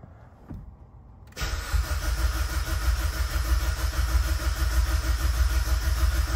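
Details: Evo X with a brand-new engine, first start attempt after over 2 years, cranked with the fuel pump relay pulled while the oil pressure gauge read nothing: the starter spins it at an even rhythm, about three compression beats a second, with no knocks or grinding. Cranking is healthy.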